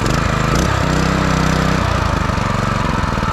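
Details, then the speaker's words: New 2021 Predator 212cc 6.5 hp 4-stroke engine, first start after unboxing and adding oil: quick, even single-cylinder putter at steady speed with no misses or knocks; strong and healthy. "yo this thing got power you can hear it oh yeah this is nice dude"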